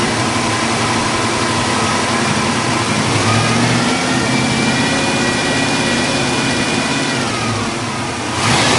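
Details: 1974 International Scout II, 304 V8, 727 Torqueflite automatic, dual exhaust with cast manifolds, fired up under hood: deep even burble climbing smoothly with throttle and settling, no knocks or misses; normal start and revving.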